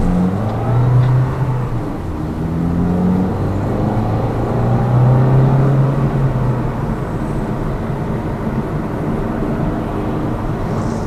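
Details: Lada Vesta Cross with AMT 2.0 robot gearbox, fully loaded, driving on rough road; action camera on driver's head. Steady low engine and tyre rumble, no thumps or clunks on bumps; suspension knock gone after shock absorber strut replacement.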